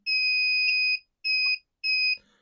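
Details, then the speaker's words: Wagan Elite 400 W pure sine inverter, no load, input slowly lowered: high-pitched beeps about once a second starting at 10.6 V as the low input voltage warning; it shut off at 10.2 V. "All right. So 10.6 we start to hear the beeping. And I bet you it's going to kick off here probably at the same 10 volts even 10.2"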